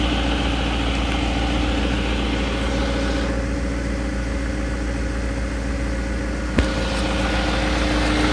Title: 2001 BMW 740 iL Cold Start Engine Rattle